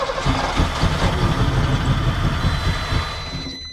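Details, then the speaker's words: 1989 Ford Mustang GT 5.0 Fox body with stale-smelling gas: lumpy uneven rumble stumbling then steadier, running only while starting fluid is sprayed and dying on throttle; rough running. "As I try to give it any goomp, it just dies. Still got some. As long as you keep spraying, it keeps running."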